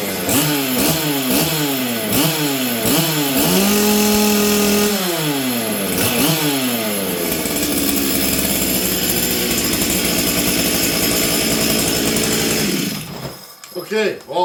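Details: Stihl 044 Arctic chainsaw, started on full choke after fitting the correct new coil and a new plug, with air filter on; revs surge up and down about every second, then run ragged and uneven; rich running.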